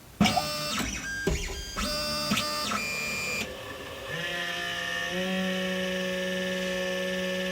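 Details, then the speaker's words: Anycubic Mega X / Chiron 3D printer: stepper chirps during homing, then a steady droning hum with faint whine from the power supply cooling fan, loud almost all the time though not faulty. "That right there is the fan to the power supply, and it makes that noise almost all the time. So you definitely would not want to put this in your bedroom if you plan on running it over the night."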